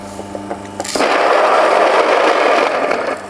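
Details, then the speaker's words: Mockmill 100/200 grain mill at a finer setting during calibration: motor hum, then a steady gritty grinding whir for about 2.5 seconds as grain feeds through. Produces nicely broken grains. Mill running normally. "I get some nice nicely broken grains"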